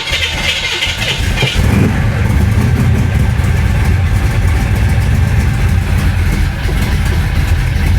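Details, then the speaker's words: Flooded 1966 Chevy Impala V8 after full fuel system replacement: catches after a few cranks, loping uneven rumble ready to stall; runs only on throttle, dies instantly off gas; owner says not fuel related, suspects cam swap swapping cylinders 4 and 7. "you let off gas it dies immediately immediately if I hold my foot on the gas she'll run not happily but she'll [Music] run"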